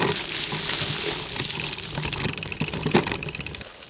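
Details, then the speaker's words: Brompton with a Sturmey Archer hub gear freewheeling in gear 1: fast, light, even ticking that slows as the wheel winds down. This is normal hub pawl ticking, which varies by gear and whether pedalling or freewheeling. "So just remember, that lovely ticking is just life with Sturmey Archer."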